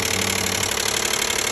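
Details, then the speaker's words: 2012 Nissan Maxima 3.5 L engine: fast, light, tinny rattle over a steady idle; owner describes it as knocking. "knocking whatever you call can name kind noising some particular uh somewhere around here"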